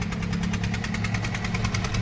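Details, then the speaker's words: Maruti Swift Dzire diesel at idle after engine work including EGR valve servicing. Steady, even clatter with rpm holding fixed, no misses or knocks and no check-engine light; a healthy idle. "Engine वगैरह बिल्कुल झग start है एक बार आपको start करके और दिखा देता हूं यह देखो इंजन वगैरह का साउंड वगैरह एक नंबर"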